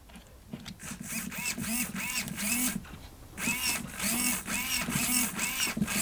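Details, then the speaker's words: Non-high-voltage RC servo from an S Works buggy, previously run on 8.4 volts; short whirring bursts, about two a second, stuttering instead of one smooth sweep; shaky servo jitter blamed on the overvoltage. "they're not high voltage servos and I put high voltage into them I put 8.4 volts into them and they went a bit"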